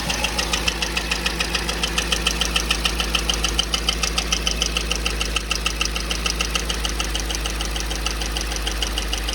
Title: Odd tapping noise from the 5.3 #dadsgarage #automobile #mechanic #diy